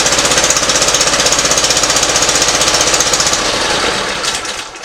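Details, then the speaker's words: Simplicity ZT2500 zero-turn mower, Briggs & Stratton Professional Series 724cc 24HP engine, cover removed: uneven, lumpy chuffing at about four pulses a second before winding down; sounds like a cylinder not firing, cause not yet confirmed. "it's not running good there as you can tell the sound of it and I'll show you how to troubleshoot that I mean it sounds like there's a cylinder not firing or something"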